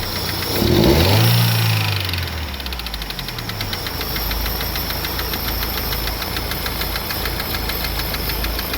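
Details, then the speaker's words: Daewoo Nexia, camshaft already replaced three times, with a knock that comes and goes: after a rev settles, a fast, regular light tick runs over the idle at about four per second; valve-train ticking from a worn valve guide. "Bir yo'qolib qolyapti. Bo'ldi o'chiramiz. Stok bir paydo bo'lyapti."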